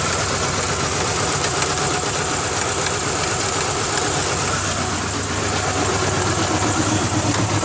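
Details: 2000 Ford Ranger XLT 2.5L that barely idles and dies in gear: rough uneven idle with rapid light slap about four times a second; timing belt hitting timing cover, cause suspected.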